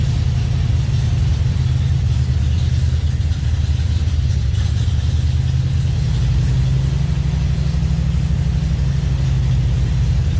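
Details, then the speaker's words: 1954 Ford F-100 V8 truck, sat for a while, just restarted and warming up: deep, even rumble at a steady idle with no knocks, misses or ticks; runs great, normal idle. "so now we all know she runs great"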